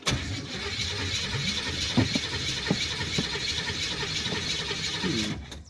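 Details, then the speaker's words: Long-stored Camaro project, new battery, timing just set, starting fluid used; starter cranking with uneven catches and brief near-firing bursts but never runs; owner suspects ignition timing still off, gas pedal sticky; fuel pump wiring unfinished. "My gas pedal is sticky. I don't like that. And I'm not 100% convinced on the timing being right either, so I'm going to have to check that once more."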